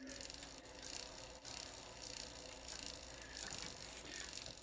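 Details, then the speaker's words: Single speed road bike freewheel spinning: fast, light metallic ticking from the dry pawls engaging the hub, metal on metal; lubricating under the pawls quiets the loud clicking. "there you go but I do know this it'll make your bike faster because the paws on the inside that engage your Hub to make it rotate now there's some uh lubricant underneath them so they're not going to dry they're not going to be dry metal on dry metal making the loud clicking noise"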